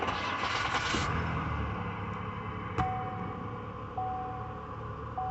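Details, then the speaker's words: 2010 Chevy Impala, first start after replacing the spark plugs: cranks and catches cleanly, then settles into a quiet, steady idle with no misfire or stumble. Normal start and idle. "So I'm finna crank it up and see what it do."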